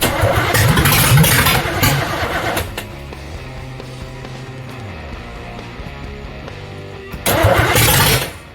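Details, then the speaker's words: Camaro small-block V8 first fire-up with no fuel pump, running only on fuel in the float bowls after distributor plug wires were re-routed; loud rumbling burst sags to rough uneven running, blips, then dies. "But, we heard it run a little bit. We heard it make some noise."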